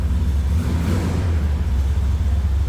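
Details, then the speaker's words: 1972 Chevrolet Malibu convertible, 383 stroker V8 with Holley Sniper EFI and 700R4 automatic, just after a cold start: deep, steady low rumble with a slight early rise, even and unbroken; idles cleanly. "that was a cold start and then of course you can see readouts on the controller closes nicely and let's take a listen totally I thing sounds good little Rumble coming out of the fuel exhaust"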